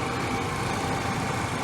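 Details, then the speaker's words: 1997 Chevy Astro van, about 20 years old, idling: a steady, even rumble with no ticking, knocking or misses; very smooth, doesn't overheat, good coolant hose pressure; a normal, healthy idle. "You can hear it runs great. There's no ticking, no knocking. Very, very smooth."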